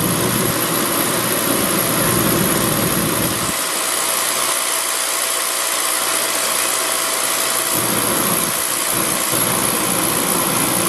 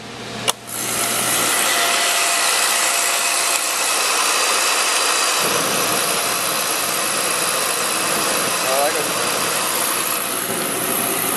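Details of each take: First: Beckett oil burner, pump about 140 psi. The supply is cut back to simulate a restricted oil line, and vacuum rises much higher. The roar loses its low rumble for about four seconds, then returns, the flame cycling on and off. Restricted supply line. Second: Beckett oil burner set up as a one-pipe system with manifold gauges on pump pressure and vacuum, running about 140 psi. After the ignition snap it settles into a steady, even hissing roar with no pulsing or rumble. Normal firing before any restriction.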